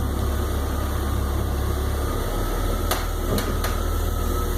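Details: 2002 BMW 330Ci: a low steady engine hum with a few sharp, isolated cracks near the end in no regular pattern. Cracking/popping noise, source undetermined.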